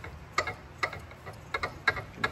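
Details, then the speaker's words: Salvage-yard Honda S2000 differential rebuilt with new 4.77 ring and pinion, new internals and PuddyMod Stage 2, backlash set to 0.003 in: crisp light metal clicks as the gears are rocked by hand. Smooth, even, correct lash. "a backlash there and listen to the nice and smooth really nice"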